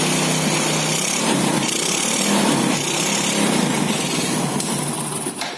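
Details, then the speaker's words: Four-stroke motorcycle after valve clearance adjustment to factory spec: a quick, even idle with a light steady valve-train tick and no irregular clatter; normal, healthy idle. "Kita dengar bagaimana suara mesin setelah dilakukan penyetelan celah katup sesuai dengan pabrik."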